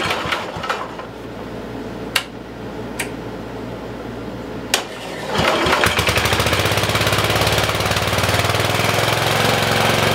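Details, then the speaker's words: 1973 Simplicity 738 riding mower single-cylinder engine, first run in two years after carburettor cleaning and new battery, main jet setting corrected: clicks and knocks then steady, even idle outdoors with no misses; normal idle. "so I think you guys can hear the motor running in the background I got it running outside just idling"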